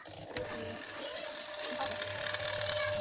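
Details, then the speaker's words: Sharp twin-tub washing machine spin-dryer motor, checked after lubricating with oil while tilted: steady whirring hum, constant mid-pitch tone, no grinding or bearing rumble; motor runs smoothly, no fault. "Nah, ini motornya suaranya seperti ini. Ternyata ini suaranya masih halus, motornya tidak ada masalah."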